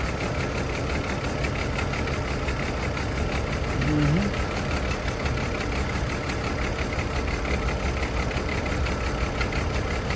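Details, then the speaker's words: Chevy Trailblazer petrol engine idling rough and uneven with misfires on cylinders 3 and 5. Plugs are unplugged one at a time to test, but misfire stays on 3 with no audible change. "Misfires, unplug to see if it changed. Got Misfire right there too."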